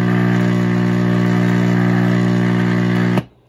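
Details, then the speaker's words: Vintage Admiral radio-record player, possibly previously worked on: loud steady low hum with buzzy edge from switch-on, stopping when unplugged, due to failed power supply filter capacitors needing replacement; tuning and turntable motor work. "So it definitely needs filter caps. So I don't want to smoke the caps, but that's what you're hearing."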